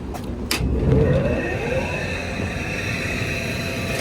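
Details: Swamp cooler motor test run after replacing the water pads, with a 5/16 screw added; outlet seen burnt; low, steady motor hum and airflow rush start up and settle into an even run with no knocks or squeals; normal.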